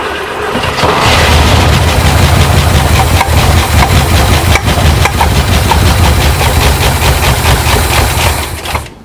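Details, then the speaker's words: 1972 International Scout II, not started in five or six years, cranks steadily for about eight seconds but never catches. Fuel was poured into the carburetor, but fuel has not yet reached the fuel pump, so it is starved of fuel. "that haven't been started in five or six years and I just need to get fuel to the fuel to come all the way to the pump"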